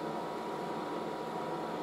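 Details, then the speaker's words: Late-1960s General Electric HD-8C bonnet hairdryer on low, a bit of heat, air felt coming out the top: a soft, even rush of air with a faint steady hum, no rattle or scrape; normal running on low. "so that's some low now so there's a bit of heat going in still a bit feel the air coming out the top there"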